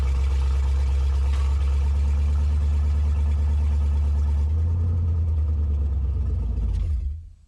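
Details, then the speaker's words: S10 truck with LS V8 swap, retuned for 42 lb injectors treated as about 50 lb at 58 psi; scanner connected but reading nothing. Fires, runs a few seconds with uneven low rumble, then dies — starts but stalls, cause unknown. "okay so she died again my scanners didn't do anything so uh not sure what's up with that"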